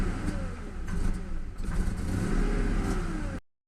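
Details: Ford Mustang 4.6 (model year 2000 or 2001), idling after the cleaned valve was refitted to cure an odd hum at the air filter duct: the engine blips up and down cleanly with no hum or rattle. The repair worked and it revs freely.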